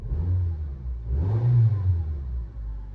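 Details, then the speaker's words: One-owner automatic with 44,900 miles, petrol; quiet idle with a quick, smooth rev blip returning cleanly to idle. It runs lovely. "Um and it runs lovely, honestly."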